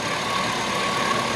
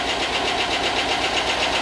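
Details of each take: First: 5.3 LS Chevy Tahoe that was not running when bought, now running after its grounds were fixed: steady, even hum with no ticking or knocking; smooth, quiet idle, far better than before. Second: Chevy 5.3 LS from rusted Tahoe donor, first run after long sit and not running when bought: crisp even ticking about four per second at steady idle; owner hopes lifters pump up and noise goes away, good oil, cause unconfirmed.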